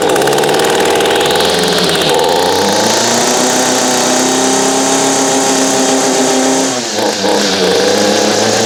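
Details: Echo string trimmer after installing aftermarket carburetor, fuel lines and grommet, new air filter, old spark plug, cold start after priming: high buzzy two-stroke revs cleanly, pitch rising and falling smoothly with throttle, no stumbles.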